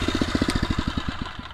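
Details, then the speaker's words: Phatmoto Rover 79cc motorized bicycle, hot after a ride at about 20-25 mph. Even single-cylinder thumping at roughly ten beats a second, steady with no misses; warm idle judged fine, no adjustment needed. "the fat motor do i need to adjust that idle that sounds fine to me considering it's nice and hot now yeah that's good"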